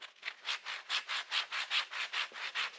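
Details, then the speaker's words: Skoda Fabia 1.6 TDI old front wheel bearing that caused loud humming while driving, especially in corners. Turned by hand, it gives a rhythmic gritty rasp about twice per second: a rough, worn wheel bearing. "so imagine when you go on a high speeds I don't know if you can hear that but I think you can so that's that was that was the main problem with it"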